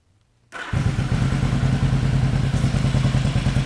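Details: 1975 Yamaha XS500 twin, left cylinder carrying the idle, tach reading off (spec idle 1,200 rpm), before carb sync: lumpy, uneven thump at idle like one cylinder not pulling; carburetors out of sync.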